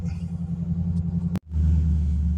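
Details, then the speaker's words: 2006 Ford Mustang GT S197, 5-speed, with muffler delete: cold start after sitting all night, following replacement of timing chains, cam phasers, guides and alternator; steady deep V8 burble, smooth and even with no chain rattle or ticking; normal cold start idle. "Okay, check this out. No timing chain rattle on fire up. At least it shouldn't. It shouldn't. So let's listen to it. Oh, buddy. All right, yes. No rattle. It sat all night."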